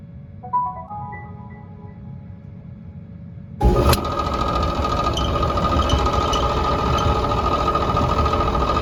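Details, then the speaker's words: 5-year-old Whirlpool Cabrio dryer: steady hum with a rapid ticking rattle returns once the drive belt is reconnected, traced to a failed, loose idler pulley bearing that needs replacing. "So sure enough, that's got to be the problem. The noise came right back when I reconnected the belt."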